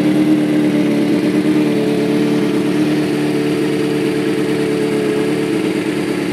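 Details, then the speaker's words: 2005 Kawasaki ZX-6R 636cc track bike, 7,219 miles, Muzzy full exhaust, Power Commander, in neutral, started from cold and now about warmed up: smooth steady four-cylinder idle, no knocks, ticks or hunting; normal warm idle. "so sounds like it just about warmed up see it's running really smooth no issues"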